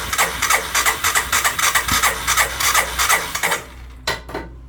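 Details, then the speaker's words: 1998 Honda 300 4x4 ATV sitting for years, seized carburetor, broken choke, needs fuel: steady starter chug about three strokes per second, no catch; cranks but won't start, carburetor suspected. "Yeah, it's not looking like it's gonna fire."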